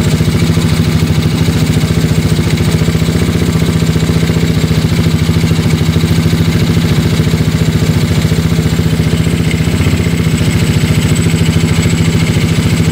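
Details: Yamaha Mio Soulty scooter with a 59mm big-bore block, previously hard to start with carburetor overflow: a steady single-cylinder idle, an even putter of three or four beats a second with no stumbling. It idles smoothly.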